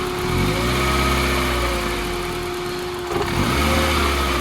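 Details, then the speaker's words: Escort RS2000 turbo, fully built 2.0 N7A 16v with Garrett T34, pulled over after driving: clean idle with light revs rising and settling smoothly, faint steady whine, no knocking; normal idle. "There is no noise. There's no knocking."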